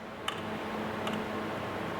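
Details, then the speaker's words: Skoda Octavia variable displacement A/C compressor (original Delphi) under diagnosis: two sharp clicks over a steady hum as 12 V is applied to the control solenoid, showing the solenoid works. "when I'm putting 12 volts to that, I can hear the solenoid clicking. So this could be a good way to test to see if this solenoid is working or if the compressor is working."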